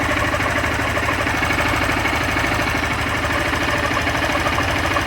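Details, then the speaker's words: Honda Fan 160 motorcycle, only 5,000 km, idling in neutral with the clutch pulled: rough uneven knocking ~100/min over a steady idle. Noise grows in any gear; clutch assembly problem suspected. "se eu apertar a embreagem, começa a fazer um barulho estranho."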